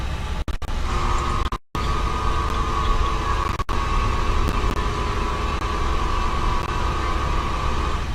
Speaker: that sound is just the power brake assist system you would normally hear it when the bus driver hits the brakes and occasionally while riding the bus